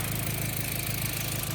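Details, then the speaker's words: B5 Passat after spliced-in replacement ignition coil pigtails (Western Union splice and tape): steady, even idle with no misses or stumbles; no longer smells lean, engine revived and sounding good. "I think we got it running again. It's sounding good."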